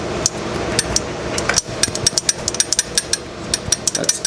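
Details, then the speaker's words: 1965 Honda CB160, a 161cc air-cooled parallel twin, engine stopped and probably unstarted for 50 years. The microphone is held to the unadjusted tappet, rocked by hand, giving sharp irregular metallic clicks: valve clearance is far too loose on both valves and needs tightening. "I mean, it's hugely different. I mean, you could have drove a truck through that one. Both of them are that loose, so I got to tighten the other one down."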